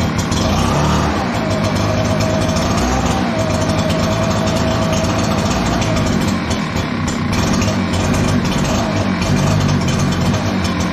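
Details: Echo PB-9010T backpack blower, cold start: engine runs rough, sagging and surging instead of holding steady; fine when fully warm but slow to warm up, traced to a lean-running carburetor; more choke smooths it.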